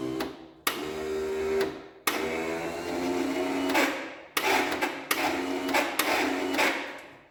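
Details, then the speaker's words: 1967 Gravely 430 barn-find tractor on a substitute battery: bursts of high whirring starter spin, each dying away without steady cranking thumps. The bendix is slipping; the starter is shot and needs rebuilding or replacing. "Well, the engine does turn over, but the starter is shot. So, first thing I'm going to have to do is either source a new starter or rebuild this one."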